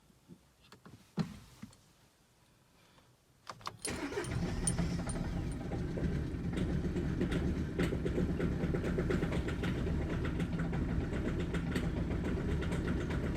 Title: Audi A3 Misfire Cold Start Idle Problem Bad Fuel Diesel Injectors